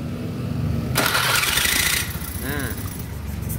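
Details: Honda Beat FI scooter starter: harsh rasping grind (ngejelengik) for about a second while cranking before the engine runs; rough starter engagement at the pinion area, being fixed.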